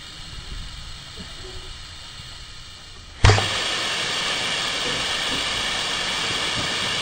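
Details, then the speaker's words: 1963–68 Ford F250 engine, compressed air fed through a rubber stopper in a spark plug hole (cylinders 6 and 10) before head work: a soft hiss into rushing air past open valves, then a pop as the crank is turned and the valves close. "is you hear that air rushing then all of a sudden you'll hear it pop like that and you'll know that your uh valves are closed"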